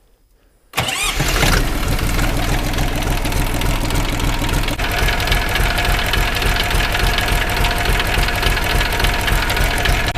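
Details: Minitractor diesel engine (KM380/KM385/LL380 type) just after full valve adjustment, not yet fully warmed, possibly air left in fuel: cranks, catches quickly, settles into steady even clatter with no misses or knocks; normal idle.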